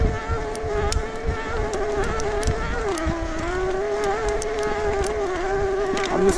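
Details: 2022 Specialized Turbo Levo S-Works e-MTB while pedaling on trail: a high, wavering, gritty whine from the drive motor that rises and dips with pedaling. The buzz is from the hubs and the clicking from a GoPro buckle. The shop agreed the motor is faulty; the owner thinks it needs a new one.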